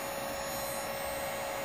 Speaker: it's the battery making that sound so that acoustic vibration is inside the battery breaking down those crystals for you